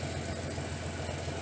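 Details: Datsun 280ZX idling with a newly installed aftermarket muffler, slightly louder than stock: a steady, even idle with smooth quick pulses and no ticking or puffing. Exhaust is tight with no leaks; healthy.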